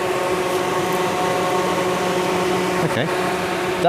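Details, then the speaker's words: Rover CityRover (Tata Indica) after a roughly 100-mile drive, temperature gauge still cold: the radiator cooling fan gives a constant, steady-pitch whirring hum that never cycles off. "I'm not sure it was doing that at the start of the journey. Why is the cooling fan running constantly?"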